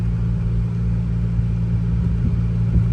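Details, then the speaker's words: BMW F10 M5, S63 4.4 twin turbo, cold, before power steering fluid flush: whine on rev-up and when turning the wheel, heard in the cabin, with cold steering shudder; suspected power steering; the whine persisted after the flush. "So you definitely hear the whine on the rev up as well as when we're turning the wheel. We're anticipating it could be just power steering related."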